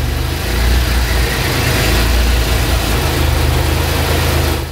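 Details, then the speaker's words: Maserati 4.24V twin-turbo V6 after turbo repair: even steady low idle, no strange suction noise or hunting, smooth deep rumble; engine idling normally with more torque. "đây: không còn loại tiếng ồn hút kỳ lạ khi không tải , một cuộc cách mạng nhỏ cho thấy rằng động cơ có nhiều mô-men xoắn hơn và dễ vận động hơn"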